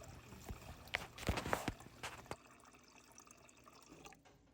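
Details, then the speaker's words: GE refrigerator GSS25GMHJCES after replacing the water line, which had caused erratic dispensing and loud rattling: water pours steadily then trails off, with no rattling or sputtering; dispensing normally, noise gone. "as you can see we have water all is good the noise is gone"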